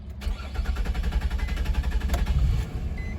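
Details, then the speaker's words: 2004 Nissan Maxima with hard-start complaint and stored code: long run of starter chugs about four a second, key held, before the engine barely catches; suspects include crankshaft or camshaft position sensor or fuel pump. "I can hear hear that see after a long start then it will start you hear it"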